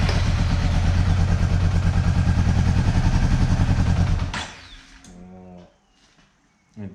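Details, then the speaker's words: 2009 Honda CB400 V-Tec four-cylinder, sat for years, first start after replacing the dead fuel pump; low-fuel light on. Engine fires with a fast, fairly even low beat for about four seconds, then cuts out; ran on all four despite feared blocked injectors. "all right really happy to hear that thing run i'm starting to get worried that the injectors might have been blocked and needed to be cleaned and stuff so the fact that it ran on all four and ran smooth and beautiful just makes me really happy"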